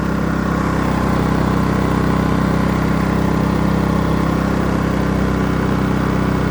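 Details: Generator rated 3200 W starting / 2900 W running, in regular (not eco) mode, idling unloaded while showing 125 volts, before starting a 15,000 BTU A/C fitted with a Dometic hard start capacitor; steady, even hum with no surging, missing or knocking, normal.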